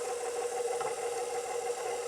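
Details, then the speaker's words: KitchenAid Professional 550 HD stand mixer, stalled mid pizza dough: steady motor hum with faint rattling and grinding, catching and releasing as the attachment stops turning; suspected stripped worm follower drive gear, a known failure point. "It'll catch, release, hear it grinding. Suspect the drive gear has been stripped out on it. Very common problem with these things, unfortunately."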